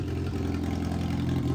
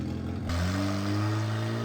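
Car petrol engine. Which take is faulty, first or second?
second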